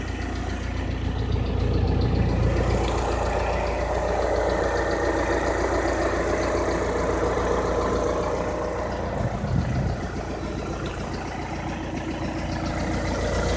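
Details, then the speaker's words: 2013 VW Passat TDI CKRA diesel with 9,500 miles idling: light steady tick about three to four per second over the low rumble; owner believes a lifter is the cause; AdBlue pump had finished its cycle. "Definitely a lifter. No question about it."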